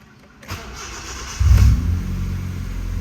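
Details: 1999 Honda Civic LXi whose idle used to drop with the air conditioning on, tested after removing and cleaning a dirty intake part. With AC on it cranks, catches and holds a steady, even idle with no dipping.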